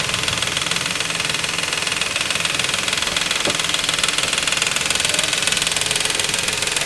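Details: 2004 Nissan Quest 3.5 at idle and slightly raised revs: fast, light metallic ticking, three or four a second; said to be the timing chain starting to go.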